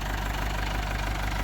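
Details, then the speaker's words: Massey Ferguson MF30 tractor restarted after its drain plug fell out and it ran out of oil, refilled: low even chug at settled idle with no odd tapping or misses; sounds unchanged and healthy. "It doesn't sound bad. Doesn't sound any different than it used to. Still sounds good, so"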